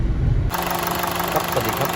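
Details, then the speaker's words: Honda City on CNG that shook when stopped in gear, after repair: steady, even low idle hum with no shaking or uneven pulses; owner confirms the vibration is gone. "ตอนนี้เราแก้ไขกันเรียบร้อยมาเทสรถแล้วเป็นไงบ้างครับลูกค้าหายแล้วครับ"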